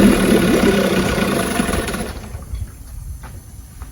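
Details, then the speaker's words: 1959 Johnson 5.5 HP outboard after complete powerhead, magneto and carburetor rebuild and low/high speed needle adjustment: fires and settles into a quick, fairly even popping beat; running perfectly. "started and then adjusted from there run is perfect"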